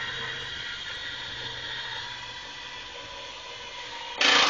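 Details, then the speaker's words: Cub Cadet plow with added linear actuators for lift and angle, run from one dashboard switch: thin steady motor whir, then brief harsh ratcheting burst at travel limit, the cue to stop; normal actuator end-of-travel ratcheting. "when you hear that noise you stop"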